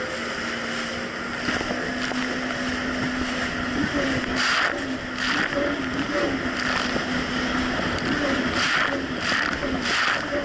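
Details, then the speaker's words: 2007 Yamaha VX Cruiser jet ski on Lake Michigan, previously surging and bogging: steady, even engine drone under load with water and wind rush, no surging or power dips; now running smoothly. "honestly the Jessie's actually running a whole lot better it's not doing the surging issue"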